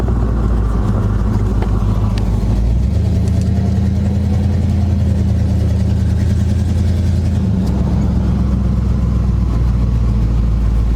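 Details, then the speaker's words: 1976 GMC Sprint on its first test drive in 15 years: deep, steady engine drone, smooth and even as it pulls away with no knocks or misses, rocks and rust flying off underneath; motor sounds healthy. "Windshield so dirty I can barely see out of it. Oh, motor sounds good though."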